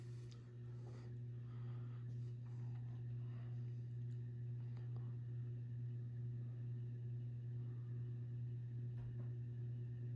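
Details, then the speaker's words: Kmart-labeled SMC U-42 42-inch ceiling fan, circa 1990, on medium about 150 RPM: steady low electrical hum under a soft even whir with faint bearing rumble; motor hum and typical bearing noise. "SMC's, these are not dead silent. Has an audible motor hum there. And it does have bearing noise, which is typical."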